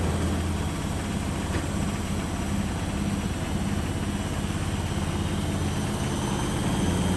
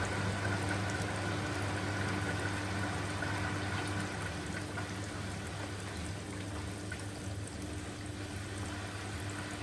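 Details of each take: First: Beko washing machine on spin in a wooden-floored shed, slightly unlevel: deep, uneven rumbling thump about three beats a second as it rocks and dances, shaking the shed; needs levelling. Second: Washing machine in a shed on a temporary plumbing setup, draining just before the final spin. A steady, low pump hum with water gushing and splashing, even and unbroken: a normal drain pump-out.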